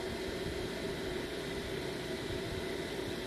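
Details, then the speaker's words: Off-grid solar home during upgrade from MPP Solar PIP2424LV-MSD to OutBack VFXR3524A inverter charger, cooling fans under charge load: steady airy rush with faint constant hum, no ticking or scraping; normal fan noise. "listen to the noise that's all right if this thing would have been this one would have been quiet and you can hear this fan raving"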